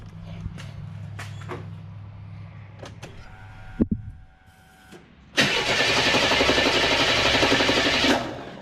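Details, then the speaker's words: Buick WE4 that stalled and died pulling away at a light: long steady starter whir for about three seconds, never fires; crank no start; suspected ignition module, crank sensor also suggested, spark not yet checked. "And she said nope. All right, so I wouldn't be lying if I said I was not a little disappointed."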